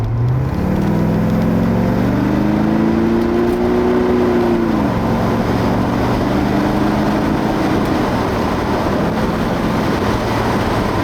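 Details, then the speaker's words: Porsche 928 automatic after a transmission adjustment, shifting 1st to 2nd and up then back down under light throttle: engine note climbs then drops sharply with a brief shudder at the shift; changes remain abrupt and juddery, upshifting around 4,200 rpm. "you can hear it sort of judder as I change gear it's quite abrupt"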